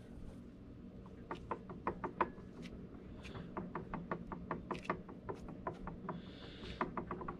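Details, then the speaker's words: Homelite chainsaw, crank wiggled by hand with the microphone held close: irregular dry clicks and light knocks as the loose parts move inside, showing crankshaft bearing play from a failing bearing that the owner plans to fix. "i can wiggle this and you can actually hear the stuff in there moving"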